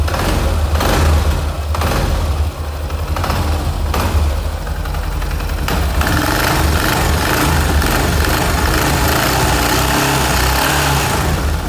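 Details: Yamaha XT 660 single-cylinder motorcycle at idle: loose, uneven metallic rattle riding on the engine beat; the noise was only a loose nut.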